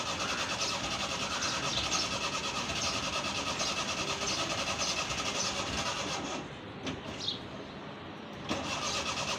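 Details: Old Suzuki Mehran cold start with pedal pumping and smoke: long, uneven cranking for several seconds, then the engine catches into a rough, misfiring note; hard cold start.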